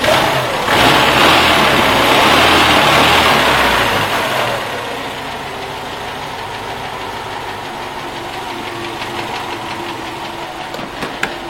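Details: Engine running steadily with a regular rapping knock about three beats a second that stays even once revs settle back to idle; engine knock.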